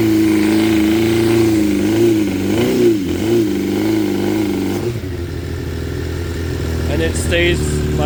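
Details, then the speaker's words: 2006 Suzuki GSX 600F Katana after carb cleaning, carb sync, float height and TPS adjustment, mixture screw turns guessed, idle set about 1,200 rpm: after throttle blip revs hang and sink slowly back to idle; cause unknown. "up in idle it doesn't go it goes slowly down to about the idle that I set see it drops slowly down it's coming down right down"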